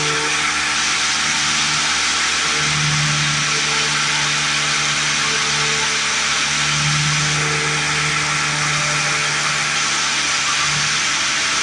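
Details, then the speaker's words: 1950s Lawn-Boy bricktop two-stroke with low compression, choked by hand; high revs surging up and down, runs only choked, owner worried it over-revved but thinks not; suspects stuck carburetor needle valve, fuel starvation unconfirmed. "Didn't sound too awful bad. I just got a little nervous. I was concerned it was over revving. I don't think it was. I just think I was being too cautious."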